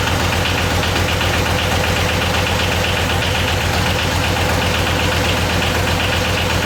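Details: Yanmar YM276 diesel tractor on first start after clutch and pilot bushing replacement: even, steady clatter at constant idle with a regular beat and nothing irregular; engine healthy.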